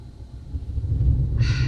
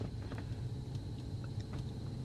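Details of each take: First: Toyota Tundra (2007–2021 body) idling while scan tool commands cam phasers to max variable valve timing; low rumble surges and sags unevenly, engine stumbles, rough idle from commanded cam phasing. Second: Toyota Tundra (2007–2021 body) idling after scan tool variable valve timing command is switched off; steady even low rumble with no stumble, knock or miss, returned to normal idle.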